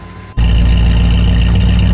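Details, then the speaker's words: 1973 Ford F100 V8, carburetted, after first start-up now fully warmed up, idle rpm being adjusted down from the high warm-up idle. Steady, even low rumble with no knocks or misses: normal warm idle. "um it was idling pretty high but that's normal when it comes to a first startup and when the car is warming up but once we figured that out once it was um like fully warmed up and idling then you can go in and adjust everything appropriately"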